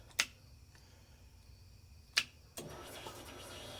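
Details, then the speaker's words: 1975 Ford F150 with 390 FE, new fuel system being primed before first start: sharp relay click then soft steady electric fuel pump whir, primed three times, about 45 psi at regulator, no leaks; normal priming. "And I'm just going to prime this up a couple times. There's once."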